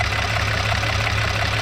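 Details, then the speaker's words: 2010 VW Passat R36 with 144,000 km at idle: steady smooth idle with a fast, light tapping over the engine note; loud lifters are suspected, possibly from the car sitting, not confirmed, and no chain noise is heard. "Idle smooth. Uh the lifters sound a little bit loud, but it might been sitting for a while."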